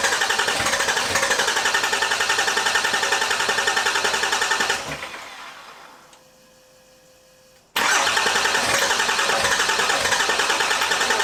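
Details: 2008 Ford F-450 Super Duty with a swapped-in 5.9L Cummins Turbo Diesel from a 2006 Dodge Ram 2500, first start attempts: steady cranking at about three and a half beats a second, pause, more cranking, won't fire; owner suspects fuel, fuel pressure present, cause unconfirmed.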